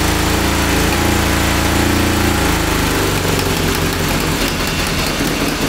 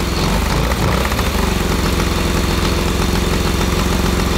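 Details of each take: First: 1982 DOHC Honda CB750 engine in a cross kart, during a brake-cleaner spray check for vacuum leaks: runs rough, then drops into a lumpy, uneven beat and can't hold idle. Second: 1982 DOHC Honda CB750 engine in a cross kart after carburetor rebuild and coil change: loud, fast, thrumming idle holding constant speed without hunting, smoking; steady idle restored.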